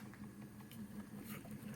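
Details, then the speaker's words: Homemade pulley-driven variable-speed rock tumbler, just completed. Only a low steady motor hum with faint light patter, no knocking, rubbing or squeal: quiet, normal running. "Nothing from this at all. Put the barrel on, you hear the barrel noise, and that's about it. She's running about 38, 40 RPM, which is what we want."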